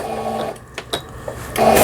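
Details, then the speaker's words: Old 220V-only Singer 7422 household sewing machine, after repair of a faulty upper-thread tension dial unit, test-sewing zigzag pattern: brief whirring bursts with light clicks, clean-running with no grinding or knocking; normal stitching. "그 다음에 바느질 패턴 모양을 이것저것 해보겠습니다. 지그잭 모양,"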